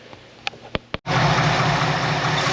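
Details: 1966 Ford F100 V8 after new Remflex header gaskets to fix exhaust leaks, with a suspect starter: a few clicks, then it fires and holds a steady even idle with no ticking or puffing from the manifolds; sounds healthy.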